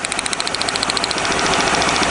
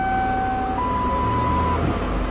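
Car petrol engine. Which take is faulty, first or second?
first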